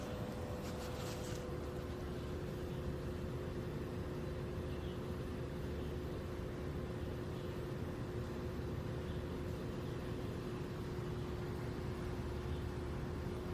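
A steady mid-pitched hum sits over the low fan rumble and holds constant throughout; the outdoor unit is running with an abnormal noise.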